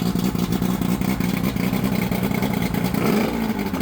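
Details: Johnson Evinrude 115hp 60° V4 two-stroke outboard after powerpack replacement and carburetor cleaning, run to check temperatures on the side that was running hot: a steady, even low drone with a faint rhythmic clatter and no misses or stumbles.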